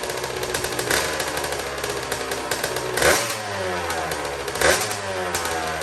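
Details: Custom Honda TRX90 with rebuilt CR85 two-stroke engine, first start after rebuild with T2 oil: crisp steady idle with clean throttle blips, nothing rattling; sounds good, though the carburetor clamp is loose and needs replacing.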